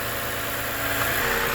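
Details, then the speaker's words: Lexus RX350 idling with accessory belt removed to isolate an engine rattle; smooth steady idle, much quieter, no chatter from timing chain or guides; normal idle, noise traced to the water pump. "all right so with the water pump or with the belt removed kind of much quieter already that's a good thing"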